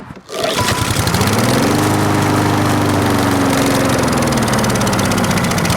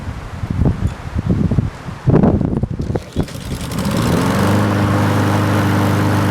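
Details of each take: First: 4-stroke lawn mower running while Sea Foam Spray is sprayed into the carburetor intake, air filter off: engine note sags lower and rougher as it floods, bogging down toward stalling before a 10-minute hot soak. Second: 4-stroke carbureted lawn mower single cylinder, after Sea Foam fuel treatment, intake spray and 10-minute hot soak, briefly started: after handling clatter it settles into a steady, even drone with no misses or surging; normal running.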